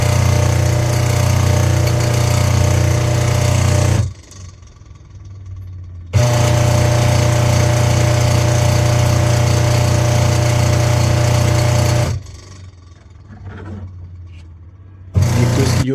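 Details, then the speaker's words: Washing machine motor running: loud, rough, rattling hum in bursts from worn motor bearing/bushes and faulty wiring; belt also broken so pulsator not turning; fix is opening the motor and replacing the bushes and wiring. "तो इसकी जो मोटर है वो साउंड कर रही है बहुत ज़्यादा, और उसके जो बुश हैं, वायरिंग है, वो ख़राब है।"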